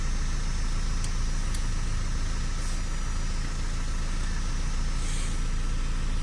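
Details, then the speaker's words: Opel Astra petrol idling after fix for cylinder 4 misfire (running on 3 cylinders; injector 4 moved to position 3, WD40 in injector): steady, even low hum without stumbles, engine light still on before code reset; smooth idle. "Ouais, mais on voit que la caisse elle tourne quand même bien droit."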